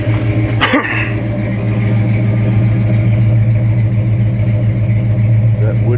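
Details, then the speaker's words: 1963 C30 truck running on old gas, brakes dragging, moisture from exhaust: deep, even low rumble holds steady without misses, knocks or surging, firing on all cylinders; normal idle. "boy that 63 runs good though doesn't it love that truck"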